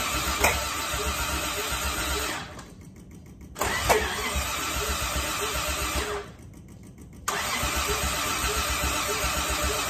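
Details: Toyota Crown, fuel filter reportedly checked: two long bursts of quick, even starter cranking about four beats a second, no catch or firing; cranks but won't start, spark or fuel delivery suspected.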